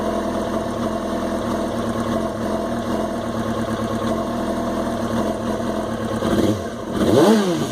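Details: 2005 Yamaha R6 four-cylinder motorcycle idling unevenly, beat wavering, then a quick throttle blip; rough idle appeared after sitting unridden for a while though started twice weekly; owner fears the coils.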